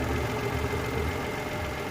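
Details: Mitsubishi Mirage after fixing a no-crank no-start issue: smooth, even idle with a steady low hum and no misses, knocks or surging; engine runs healthy.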